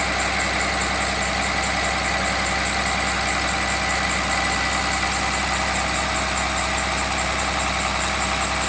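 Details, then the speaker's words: Cummins 6.7 turbo diesel test engine on HythanolPLUS fuel, raised to about 1280 rpm with no smoke: even diesel clatter held steady at fast idle, no stumbles or knocks; engine runs healthy. "running at 1280 rpm no smoke could be seen"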